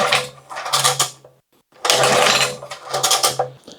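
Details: 2000-watt portable generator that sat a couple of years, carburetor cleaned, fuel valve open and on full choke: repeated pull-start bursts, each a rattling crank that dies without catching; a new carburetor was later bought.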